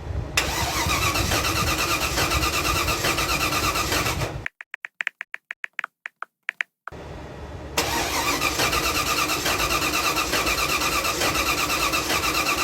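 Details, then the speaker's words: 1975 Datsun 280Z with swapped 358 small-block Chevy V8 on a home-built Megasquirt 3X ECU: starter spins it in steady, even pulses but it never fires; crank-no-start traced to firing-order wiring error. "come all right time to get you guys caught up there has been a lot of diagnosing going on with the car uh the biggest thing is actually wiring"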